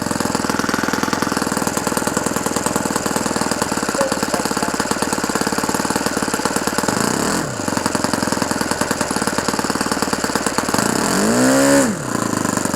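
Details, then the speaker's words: OS FS-120 Surpass 20 cc four-stroke methanol model engine, restored with new ring, running in on 15x8 propeller, idle needle just leaned as too rich; fast even tick-over with quick blips, idle still too high. "Super. Il commence à avoir de la patate. Bon, le ralenti il est encore élevé."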